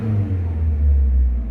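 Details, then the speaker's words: Mazda 323 Familia with B6 twin-cam conversion, first start in five years, water in cooling system; cold engine revved lightly, deep smooth rumble swelling and settling cleanly, no knocks, feels peppy. "It's cold, so I don't want to rev it too hard. Ooh. It feels peppy. I've got to give it that. It actually feels quite peppy."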